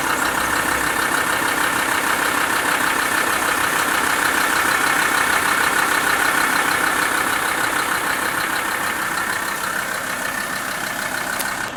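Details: Volkswagen LT 35 2.5 TDI (AHD) diesel, warm, idling: sharp regular light tapping about three per second over the clatter; knocks when warm at idle and accelerating, not on overrun; owner suspects camshaft area; new vacuum pump made it quieter.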